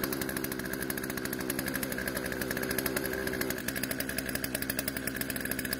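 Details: Poulan chainsaw out of storage, after carb adjustment, chain tensioned and sharpened; fast even firing, crisp steady rhythm, no misses or surging; idle speed needed adjusting to stop chain creep. Normal running.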